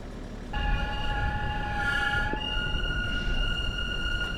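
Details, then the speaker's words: Ineos Grenadier off road, rolling slowly: high, thin metallic squeal that shifts pitch, hard to pinpoint and heard on both sides, later vanished suddenly; owners believe a stone was caught between the rotor and the brake guard. "So we ended up deciding that we're pretty sure it was just a stone between the rotor and the guard"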